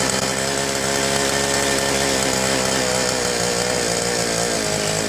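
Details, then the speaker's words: Southland two-stroke post hole digger, fuel lines replaced, primed, carburetor suspected faulty: buzzy steady slightly ragged high speed, only keeps running with the choke on. "Let's prime it a couple of times. On, see what we got going here. So far, it only wants to go on choke."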